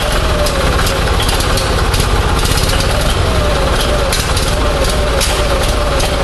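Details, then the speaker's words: Onan 6.5 kW generator engine, warmed up, run on Arduino Uno ignition driving a Toyota two-tower coil-near-plug pack, checked with timing strobe; runs unevenly with irregular pops and wavering beat; erratic ignition timing jumping all over. "well so I'm gonna sort of ran but obviously we still got a timing situation I couldn't get a good number but the timing is jumping all over the place"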